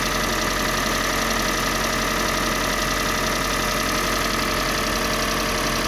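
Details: Kia Sportage 3 with a G4NA engine on Total 5W-30 oil: a steady, busy idle with a faint, uneven knock underneath, roughly one to two a second, source unknown.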